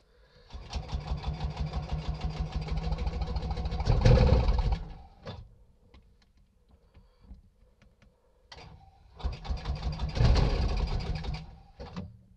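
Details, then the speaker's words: Scootacar after exhaust repair and modification, battery swapped for no-start: engine fires and runs roughly about four seconds then dies, twice, won't stay running; owner suspects control box; oil leaking everywhere. "oh what a tease come on scooter car you're just teasing me now"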